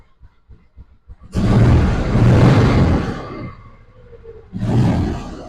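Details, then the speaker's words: 2004 Polaris Ranger 500, started in neutral after primary and secondary clutch replacement for a hard-shift problem: a few faint cranking pulses, then it catches with a full roar, eases off and blips again; runs smooth, nothing abnormal. "Sounds better. Looks better. Runs better."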